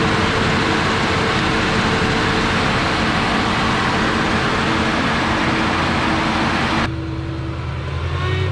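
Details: 1970 Dodge D-100 Sweptline barn find, first start in about 19–20 years, on a temporary fuel system: loud, uneven engine noise for about seven seconds, then it drops away; it catches and stumbles.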